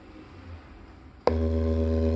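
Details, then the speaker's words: JBL Charge 2 Plus, driver tested outside the unit: a steady low test tone holds even and pure with no crackle or scratch, so this driver is healthy, unlike the other crackling driver; the two are to be swapped to isolate amplifier channel versus speaker. "that's a nice clean sound"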